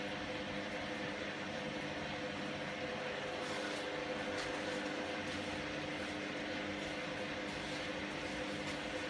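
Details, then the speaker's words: Candy GVS169D3/1-80 Grand O Vita 9kg washing machine after replacing failed motor-controller triac on PCB to fix error E09, rapid wash 30° with 1200 spin: steady motor hum with faint whine building as drum spins up, no scraping or knocking; normal. "it's moving through its cycle yeah there's the spin speed coming up"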